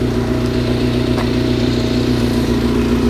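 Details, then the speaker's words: Four-cylinder carbureted bike, stubby exhaust, stock air filter, jets reduced to 155s (140 stock), possibly still slightly rich; rich running fixed: steady even idle, smooth low hum, no misses; runs beautifully; normal idle. "now that's now sorted it runs beautifully just up and down the hill then lovely"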